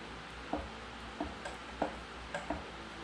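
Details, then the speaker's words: Ford Superduty Dana 60 axle being regeared, bearing caps off, unmeasured: light metallic knocks about twice a second as the ring gear is rocked before contacting the pinion. "And that distance is calculated by the amount of movement in our ring gear before it makes contact with the pinion. If you listen very carefully, you might be able to hear the metal kind of knocking as we roll it back and forth a little bit."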